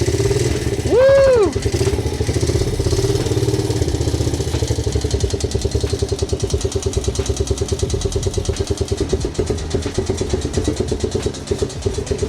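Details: Old forgotten Honda single-cylinder engine at its first start: brief throttle blip, then a steady beat of about three pulses a second settling into an even idle; running fine.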